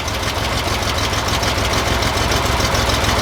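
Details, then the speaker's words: 1963 Chevy Corvair Monza air-cooled engine at idle during a valve adjustment: a light, fast ticking, about three per second, from valve lash, which goes away when a rocker is loosened. Valve tick. "if you guys can hear that's the little ticking noise i just loosened this first valve right there it went away"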